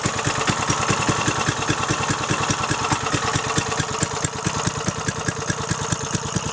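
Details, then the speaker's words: Briggs & Stratton 3.5 hp single, likely little-used, after carburettor fix: crisp, quick, evenly spaced firing at steady speed, no misses or surging; runs awesome. "look get all Briggs & Stratton light it's Mikey she runs awesome"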